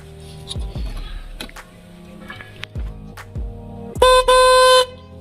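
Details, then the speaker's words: Maruti Suzuki Swift horn problem: the car's horn failed, so an old screw-type spare horn is tested with direct battery positive and negative; after handling clicks it gives a loud clear blaring tone twice, strong and steady; normal horn operation. "ನೋಡಿ friend, ಇದು okay ಅನಿಸುತ್ತೆ."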